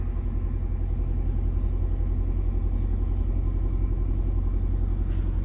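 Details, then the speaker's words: 2005 Nissan Altima 4-cylinder during the throttle body relearn, cold after sitting about 3 days: steady, even rumble at a raised idle climbing to about 1500 rpm. Owner suspects the cold engine; the cause is unconfirmed. "شوف ار بي ام قاعد يرتفع، قاعد يوصل 1500. ممكن عشان السيارة باردة."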